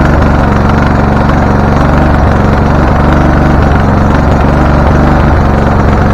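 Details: Husqvarna LTH 1438 riding mower, 13.5 engine, reported to backfire through carb and exhaust, first start, choke not closing: steady low chugging with uneven, stumbling beat about three pulses a second; rough running. Shop suspected a loose cam gear, unconfirmed.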